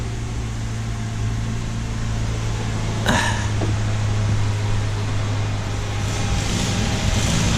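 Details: Mazda SP23 (Mazda 3) after repair of a conrod bearing knock: smooth, even idle with a steady low hum, no bottom-end knock; engine sounds healthy.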